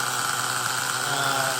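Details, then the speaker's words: LRP 32x Spec 4.1 nitro engine on its second idle-tank break-in pack with a thermally insulated carburetor: steady, even high buzz that holds one speed as it warms. Oil still comes from the exhaust, so it is running slightly rich, but it is not getting richer. Normal idle. "you could hear the carburetor you know well not the engine it's idling very steady the carburetor is not changing its tune at least at idle"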